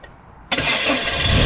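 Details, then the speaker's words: Citroen Saxo just after a new timing belt and tensioner, with the original water pump kept: the engine catches at once and settles into a steady, even idle with no knocks or rattles, a healthy start. "actually I actually think it stops better now that's just normal French noise"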